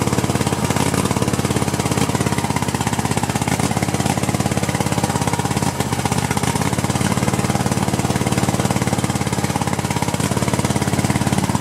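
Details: Cub Cadet LT1050 with Kohler twin (about 25–26 hp), burning oil, oil seen from carburetor area, has spark: uneven lumpy beat around three pulses a second with stumbling note; rough running, cause not confirmed.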